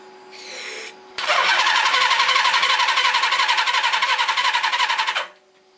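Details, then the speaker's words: Suzuki GS850 motorcycle sat outside over 10 years: starter spins engine with quick even chugging, turning over hard with a gallop suggesting low compression on one of four cylinders, but never fires; weak spark; crank no start. "Nope, there's just not good enough spark here"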